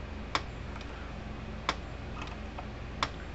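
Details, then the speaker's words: Fence energizer plugged in on the bench: sharp single clicks about every 1.3 seconds, pulsing normally, though its indicator light no longer flashes; output about 8,000 on an analog tester. "So we'll go ahead and plug this thing in. So you hear it clicking right along."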